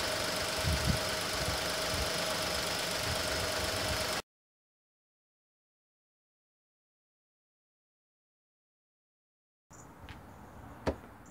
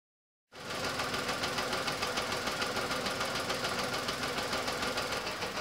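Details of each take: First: Petrol engine idling steadily with an even beat and no stumble, then shut off, after a misfire on cylinder 3 (code P0303) was traced to a bad coil-over-plug unit. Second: Petrol car idling rough and lumpy with the EML light on and code P0303: cylinder 3 misfiring because its coil-over-plug ignition coil gives no spark.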